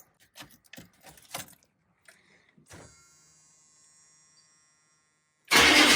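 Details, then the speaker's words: 1982 Chevy K5 Blazer, 6.2 L diesel, three new batteries, open-air intake: keys jingle, faint whine during glow-plug wait, then catches immediately with loud clatter, no long cranking; starts right up, normal diesel start. "All right, so like I said, starts right up. Obviously, really happy"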